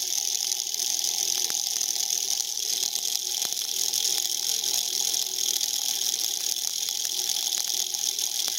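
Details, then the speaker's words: Tiny 1.5 V brushed motor kit run at about 32 V, oiled, getting hot: high hissing whine with scratchy crackle at speed; brushes arcing hard and cutting through the commutator copper, which is obliterated. "Yo, it's probably cutting right through the copper. Oh, I bet you there's nothing left. Oh yeah, dude, it's cutting right through the copper."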